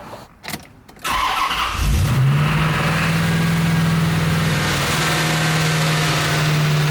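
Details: Near-abandoned C4 Corvette V8 first start with new spark plugs, coil and wires: short crank, catches cleanly, settles into even steady idle with no stumble or misfire.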